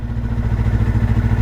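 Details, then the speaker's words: 1978 Kawasaki KL250 single-cylinder, warm after a ride, with a newly installed aftermarket carburetor: steady low thumping idle at an even beat, no misses or clatter; normal idle. "Listen to that engine purr. Sounds good."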